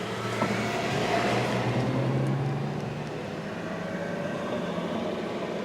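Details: 2003 VW Jetta 1.8 that won't start when hot, codes P0321 and P0322: the starter cranks with a steady, even whir for several seconds but the engine never fires.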